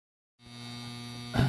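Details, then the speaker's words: International Comfort Products furnace inducer motor. A steady low electrical hum and buzz with no fan spin-up: the motor is seized, won't turn and gets warm, so the startup sequence cannot begin and the furnace gives no heat. "David this is the thing that's buzzing like crazy this might be the inducer motor you're talking about it doesn't seem to turn it's getting warm"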